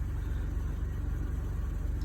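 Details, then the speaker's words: 2001 Honda Civic EX 1.7L just after fuel pump replacement (relays also replaced earlier): started right up and idles with a deep, steady, even hum and no knocks or stumbles; running cleanly. "listen you hear that humming that's what i like it hums now got her in there she started right up"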